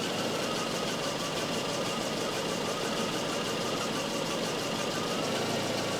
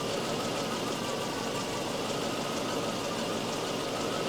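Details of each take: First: Volvo 244 warm idle on a Sun tester cylinder balance test: uneven pulse as each cylinder is switched off in turn, an induced misfire; cylinder 3 dropped 77 rpm with HC up about 1300–1400 ppm; owner suspects timing is off. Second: Volvo 244 idling during a Sun tester cylinder balance test, cylinders cut in turn (cylinder three dropped 77 rpm, the next 87): even, steady idle with no misses, and RPM drops are close across cylinders. Balance is good; owner's head-gasket worry doubted.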